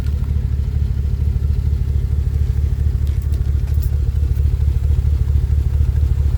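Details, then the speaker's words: 2012 Chevrolet Camaro 2SS/RS V8 idling after detailing: deep steady rumble with a faint lumpy pulse about twice a second from under the car, intermittent and misfire-like but not an actual misfire; cause unknown. "s running almost sounds like it's misfiring but at the same time it's not misfiring"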